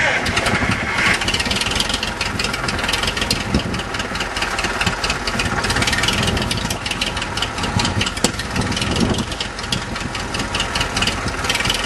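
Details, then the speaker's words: Restored Farmall Super MTA diesel tractor with the rear engine seal replaced and a small oil leak remaining, being started: catches quickly and settles into an even, steady clatter with no misses or knocks. Normal diesel cold start. "I'm going to go right now and start it up and uh show you how easy it starts and then I'll drive it around here a little bit"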